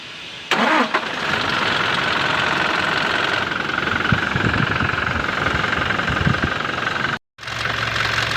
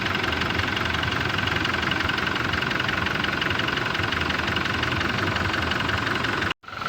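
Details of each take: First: Toyota Hilux 2GD diesel, cold first start (noise only on first start of the day): cranks, catches and idles with sharp, irregular knocking over the rattle; cause not yet found. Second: Toyota Hilux 2GD diesel: even, steady idle with only light clatter, no knocks or irregular beats; sounds healthy.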